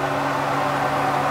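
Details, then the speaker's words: RV range hood fan checked after storage, run on low then high: steady, even hum with a constant tone and no rattle or scrape. Fan working normally. "so one other thing to check is your hood fan so you want to make sure that that is working this is on the low setting this is on the high setting"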